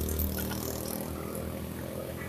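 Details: Yamaha Mio J scooter, electric starter pressed: steady electric whir with no compression pulses and the engine not turning at all; starter motor spins free as the one-way starter clutch slips (nge-LOS) and fails to engage, so the engine won't start.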